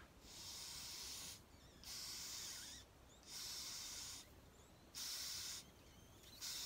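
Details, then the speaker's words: Hayter Harrier 41 petrol mower carburettor being cleaned for surging, fuel line feeding the bowl: short sharp hiss bursts that stop cleanly as the float rises and the needle valve seats, shutting fuel off correctly; float working properly. "Now this is, if that was empty, you should hear a noise. And as it fills up, the float will go up and you'll stop the noise. That means it's turning off."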